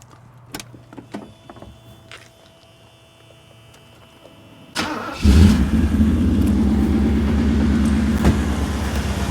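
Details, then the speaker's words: Mercedes R107 SL convertible, 35+ year-old gasoline car, hood open, engine started before inspection: loud, deep, throbbing, boomy idle; the exhaust system is too loud and resonates annoyingly through the car on the freeway. "Somebody's going to say, well, Kent, that's really a cool rumble, but let me tell you, when you get on the freeway and you have that resonance coming up through the car, it's very annoying."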